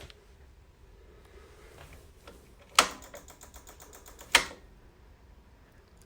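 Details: Harley-Davidson, battery reading about 6 volts after the bike went dead and threw a VIN error code, heated seat and backrest wired in: two sharp isolated clicks about a second and a half apart, no cranking; relay clicking from a dead battery.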